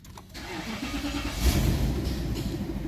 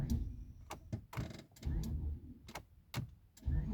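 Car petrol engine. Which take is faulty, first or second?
second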